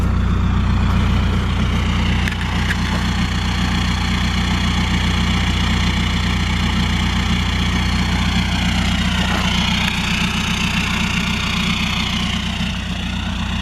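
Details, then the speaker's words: 2004 VW Golf TDI 1.9 turbo diesel, tuned, earlier smoking heavily with a suspect injector acting up: even diesel clatter at steady idle, no stumbles, misses or hunting; now idling smoothly. "I'll start it up and see if that injector is still acting all funny or not. As of right now, it seems to be running pretty smooth."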